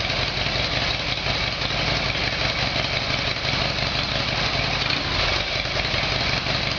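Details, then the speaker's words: Harley Evolution Sportster V-twin, cold start on choke after a carburetor repair: settles into a steady, even idle with no misfires or popping, though backfiring was expected when cold. It runs cleanly. "okay so I'll go for a start a cold start there should be some backfiring while it's cold I'll use the choke and we'll see how we go"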